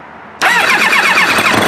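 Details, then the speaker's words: Kawasaki ZX7R race bike on FCR41 flatslide carbs after a further carb sync, fuel screws 1 turn out, running on the last of the fuel; it catches straight away and settles to a smooth, stable, clean idle with no hunting. Normal idle. "So you can hear how much more stable that sounds, and it's pretty clean. It's pretty clean."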